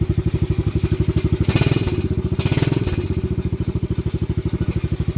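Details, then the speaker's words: Venom Madix 125 quad (PZ20 carb), choke makes no difference: slow lumpy thumping about three beats a second that lopes and stumbles, rough idle; owner suspects air-fuel screw or valve adjustment, unconfirmed. "We gotta maybe adjust the air fuel screw."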